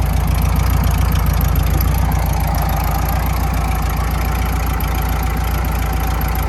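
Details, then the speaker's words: 1972 VW Super Beetle air-cooled flat-four idling, carburetor not yet tuned: low, steady chugging idle with an even beat and no clanks or knocks; sounds healthy. "so it's running it seems to run okay no clanking no noises nothing like that"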